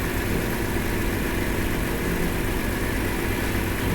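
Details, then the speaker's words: 2008 Chrysler Town & Country/Caravan with idle and misfire codes, new throttle body: steady, slightly uneven idle with a constant hiss; massive vacuum leaks, one at the EGR tube gasket where it enters the intake base, confirmed with smoke machine. "All right, this thing has massive vacuum leaks. One of the leaks is the EGR. It's where this tube comes into the base there."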